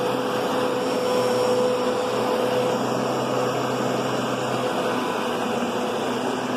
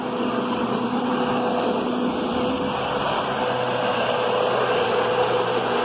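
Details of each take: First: Kenmore Progressive upright vacuum: steady mellow motor hum, much quieter and softer than a Kenmore Intuition's louder whine; motor running normally. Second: Kenmore Progressive vacuum running: steady roar with a faint constant tone as the brushroll spins, seemingly skimming the carpet or not making proper contact; odd brushroll noise, cause unclear.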